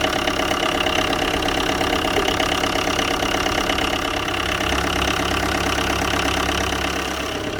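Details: Tata Indigo diesel cold start after 5 years of storage, after priming with the lift pump: clattering uneven idle with a busy, slightly irregular knock over a steady hum; rough cold idle after long storage.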